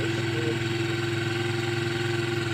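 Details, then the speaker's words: Motorcycle engine at idle: steady idle with a thin, constant whine over the engine note. The whine is attributed to the timing chain. "احب ابشرك واقوللك ده الصوت بتاع التيمه هي اللي بتعمل الو ده"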